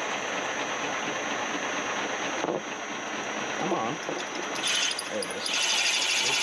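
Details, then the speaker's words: 1911 Hendey cone-head 6x16 lathe machining a water pump bushing for a 1914 Studebaker SC-4: cutting noise turns harsher with a rising high-pitched edge as the tool loads up from a cut taken slightly too deep. "you can hear it start to load up i was probably a little bit too far in but since we still have to bore it'll still work out"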